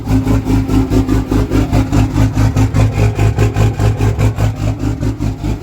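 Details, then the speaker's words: Diesel truck on a cold 27-degree day at the fuel stop, idling itself into an automatic high idle with a pronounced deep-rumbling lope of about two and a half surges a second; rough high idle, cause unconfirmed. "oh so this is what it sounds like when it high idles itself"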